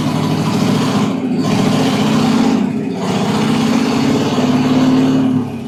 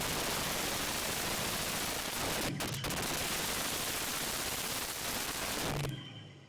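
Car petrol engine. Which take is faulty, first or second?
second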